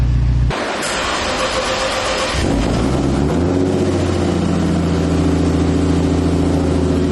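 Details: Turbo M50 BMW E30 with new crank sensor: catches after cranking, then uneven idle rising and sagging irregularly, surging badly; rough running, cause unclear, crank sensor suspected.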